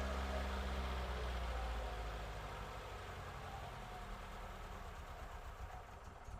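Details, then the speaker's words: Ex-British army Bedford CF2 Ferguson 4x4, 7000 miles, just revived after years parked, cold day: low, lumpy idle with dropped pulses, running on almost four cylinders; owner suspects it needs spark plugs. "Right. We seem to be running on almost 4 cylinders. I think it could probably do a set of plugs."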